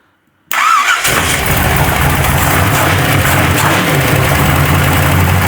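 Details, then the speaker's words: Truck's first start after driveline work (belt, coolant hoses, fuel plumbing, transmission lines), cold and possibly flooded: it fires and settles into a loud, steady, deep idle through an open exhaust; normal start and idle. "Okay. It fired. Give me more. Oh, she's a cold-blooded beast. Oh my god, it's so loud. I love it so much."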